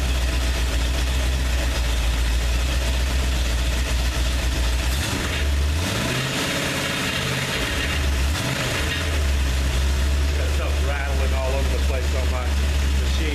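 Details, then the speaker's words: 302 V8 at idle just after rebuild and fresh oil change: deep, steady idle with one smooth throttle blip settling cleanly; no rattling, knocking or smoking, engine sounds healthy. "beautiful come out good no rattling no knocking no smoking everything's doing good"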